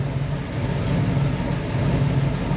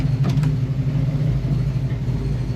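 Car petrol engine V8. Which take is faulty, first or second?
first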